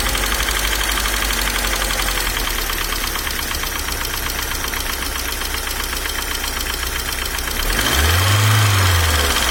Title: Стук гидрокомпенсаторов не зависит от давления масла.